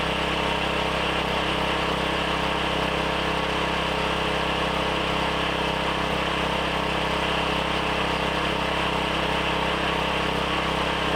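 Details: Briggs & Stratton 7,350 W surge / 5,250 W generator after replacement carb, custom air filter and tune-up, throttle set by rough guess with no load: steady, even drone with no hunting or misfire; normal running.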